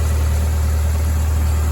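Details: 1996-01 Hyundai 1.8/2.0 idling, not yet warm, after throttle-body mod and manifold work: steady, even low idle hum with no squeal, chirp or ticking from the belt; healthy accessory drive.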